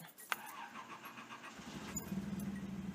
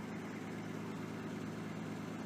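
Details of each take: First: Datsun 280ZX with corroded cylinder-1 fuel injector harness connector: cranks and catches into lumpy idle surging and sagging every couple seconds; cylinder 1 not firing, injector lead to be replaced. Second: Datsun 280ZX after fixing the corroded cylinder 1 fuel injector harness connector with a bad seal and missing clip that caused a misfire: quiet, steady idle with an even hum and no misses; normal idle.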